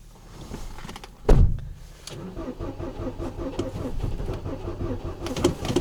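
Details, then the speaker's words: Ford Focus, 5W-30 Ford Formula oil, about −24 to −29 °C, clutch held: clunk then steady rhythmic starter churning a stiff cold engine without clear catch; owner blames oil not being 0W; hard cranking in extreme cold, not confirmed. "Минус Не заводится, потому что залито не нулевка. Сцепление держишь? Да, держу. Сейчас заведется."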